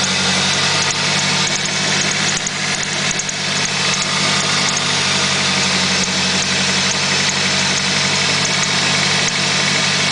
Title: Squeek Chirp Noise @ idle